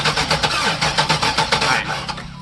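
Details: A Chevrolet LT1 that died at wide-open throttle gives a steady fast starter churn that never catches, during a cranking fuel-pressure check with 40 psi at key-on. The no-start was later traced to a bad aftermarket Optispark distributor base.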